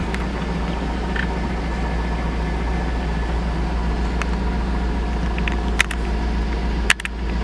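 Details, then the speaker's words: Chevy Tahoe 5.3 V8 first start after a new starter, having sat for months unstarted, exhaust chopped: fires right up into a low, smooth, quiet rumble with no knocks or ticks; normal idle. "oh my gosh the thing fired right up dude just right up just right up doesn't sound like a v8"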